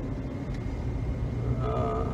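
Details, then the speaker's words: 2010 Jeep Liberty after replacing front wheel bearings, which had hummed above 30 mph (control arms didn't fix it): steady road and tyre rumble at 30–40 mph with no front humming; bearings now quiet. "40 i don't hear any sound coming from the front any humming sound so replacing the bearings fix that problem"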